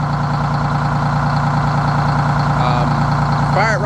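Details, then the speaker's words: Bus RV diesel engine started after periodic cranking, oil about a gallon low; fires right up and idles with a steady, even low throb, no misses or knocks, normal idle. "Fire it right up, no problem. But that's why I keep cranking it every so often to keep it running."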